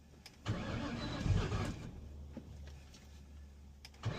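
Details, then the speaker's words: 2004 Ford Mustang Mach 1 manual, hard start complaint: engine catches into a low, lumpy, shaking idle that never smooths out, from a defective MAF sensor; high chirp heard is the clutch throw-out bearing. "Well, the vehicle is definitely starting. They said it was a no crank, no start. It's shaking really bad though."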